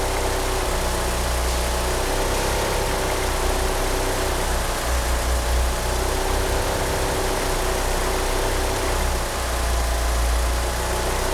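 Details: Engine fitted with 850cc injectors: lumpy, uneven low throb under a hissy background, the beat wandering rather than steady; rough idle, engine unable to rev up, steering pump belt slipping.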